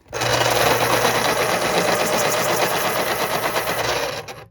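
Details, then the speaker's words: Thrifted Panasonic Point-O-Matic KP-33N electric pencil sharpener: small motor whirs at high pitch with a rough, uneven buzz and spins down quicker than an identical unit; owner suspects it needs lubrication. "good sounded a little rough at the end there"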